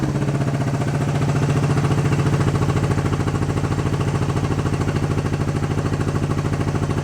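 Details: Honda CB350 twin during carb work, with the idle adjustment screws backed out after being run in too far. Even, steady idle beat that picks up smoothly on a gentle rev and settles back; running cleanly.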